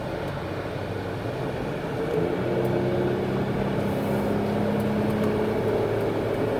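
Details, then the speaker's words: 2000 Chrysler Town & Country wheelchair van, 63k miles, accelerating on the highway toward 70 mph: smooth engine tone climbs steadily over road noise, then drops cleanly at a shift with no slip or flare; engine runs strong. "I want to give them some gas so you can see them accelerate. So you can hear the engine run strong, hear the transmission shift."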